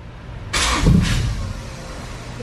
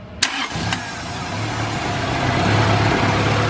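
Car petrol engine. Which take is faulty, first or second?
first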